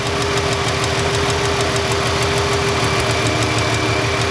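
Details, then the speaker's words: Ford Freestyle 3.0 V6 idling with a cylinder 1 misfire and no codes: sharp light ticks about three per second as the coil arcs internally or inside the boot; weak spark, no air-gap jump. "I can hear it arcing inside the coil when I move it. See how I don't even have, I move it just a little ways away, and I can hear that arcing. It's taking place inside the coil somewhere, or inside the boot."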